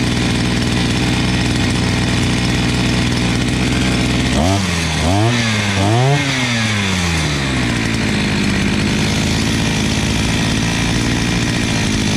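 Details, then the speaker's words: 43cc imported brushcutter, carburetor mixture screws set about one and a half turns out: steady high buzz, then revs surge and drop three times in uneven swings before settling; carburetor out of adjustment, later set to one and a half and two turns. "Bom, vocês perceberam aí que quando eu abri a máquina, quando eu fui mexer na regulagem, ela saiu da regulagem, certo?"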